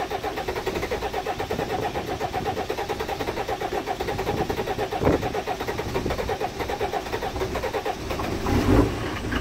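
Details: 1991 Ford Explorer turbo diesel, sat unused since July 2016 after axle and gear-ratio work, cold start after priming the fuel pump and charging a drained battery; fires and settles into an even diesel clatter with steady pulses, no misses or knocks: normal idle.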